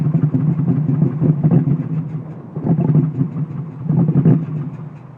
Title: Mustang misfire sounds like cams